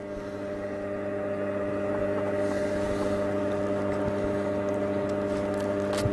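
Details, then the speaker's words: Cossor valve radio being revived, current raised from 40 to about 180 mA as the amp comes to life: a steady low hum with an even buzz above it throughout warm-up. Mains hum. "so it's drawing it is drawing current not a lot oh I can hear something I can hear something can you hear that no dial amp action coming to life"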